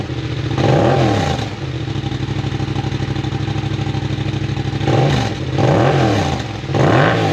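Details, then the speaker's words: Yamaha MT-07 twin with newly installed full aftermarket exhaust, silencer in place: deep, even burble with several quick throttle blips rising and settling back; runs clean and strong. "That sounds pretty mean. Customer was thinking about leaving the exhaust silencer in there, so I'm going to leave it in there for now, but I will pull it out so we can hear the difference."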